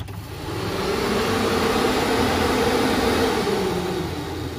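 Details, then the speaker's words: 2006 Citroën C3 1.4 8V with an overheating problem, electric radiator cooling fan wired and switched on at speed 1: a steady whooshing hum that spins up and holds an even speed. Running normally. "olha agora a rotação do ventilador a velocidade Dá até para ouvir o barulho do ventilador"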